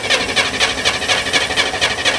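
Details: Corvair Spyder, cold start in the rain with an electric fuel pump: starter spins evenly at about four beats a second but never fires; cranks with no start, fuel smell present.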